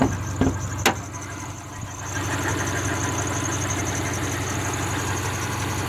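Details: 2003 Subaru Forester at idle, parked, with a thin, high chirp or squeak and faint quick ticks; owner thought it was the belts, but tightening them didn't stop it. Source not found.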